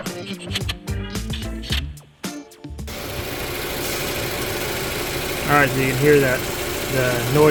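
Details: Toyota RAV4 four-cylinder idling after the water pump and gasket were replaced to cure a gravelly water-pump noise: steady, even idle with no gravelly growl, partly masked by music; the engine sounds healthy.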